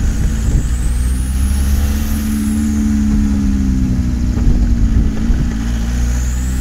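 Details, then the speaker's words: VW T3 camper with a TDI conversion, down on power with high fuel consumption, accelerating on the road: clear rising turbo spool over road rumble, but it pulls flatly; cause unknown. "so a few rocks can hear the turbo spool up there like even to be honest pitch it the engines of who feel like it's even holding as strongly as did when I did two conversions"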